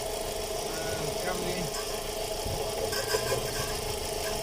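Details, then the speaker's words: VW Gol 1.6 at idle with power loss, knocking, EPC and check-engine lights and code P0303: irregular stumble and uneven chuff; cylinder 3 misfire, spark reaches the cable but not the plug, so the ignition cable is diagnosed. "no sé si se alcanza a percibir pero si se oye como que cáscara obviamente está fallando"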